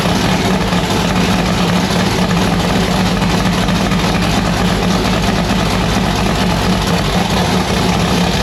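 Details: V8 race car with newly installed 1150cfm Pro Systems carburettor on E85, just started: loud, choppy idle with uneven loping beat and deep rumble; rough idle, carburettor still needs tuning.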